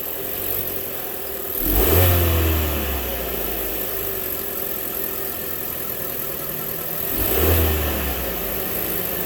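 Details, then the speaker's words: Chevy Cruze started after timing belt replacement: engine settles to a smooth even idle with two clean revs rising and falling, no knocks or ticks; sounds healthy. "All right, sounds good."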